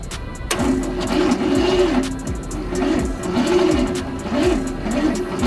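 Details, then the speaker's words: 1986 Ford Bronco, first start attempt after sitting 5 years; solenoid and wires under suspicion. The starter cranks slowly and sluggishly with a labored, uneven whirring about twice a second, and it smokes. Possible cylinder interference, to be fogged. "You can also tell that the starter is being very sluggish and very slow there should- there's possibly some cylinder interference"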